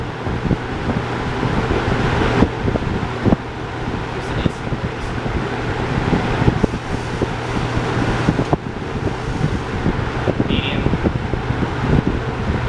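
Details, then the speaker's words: Vintage Toastmaster box fan model 4425, 3-speed, switched to high: constant low hum with steady rush of air, no rubbing or ticking; fan motor running normally on high speed. "It's 3 speeds, even though the thing up here has 2 off positions. Anyway, let's turn it on now. Here's high."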